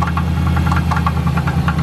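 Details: Dodge Charger SRT8 6.1 at idle after restart, engine light on: sharp regular tapping about five per second over deep rumble; owner thinks something broke and motor may be done, possible rebuild; cause unconfirmed.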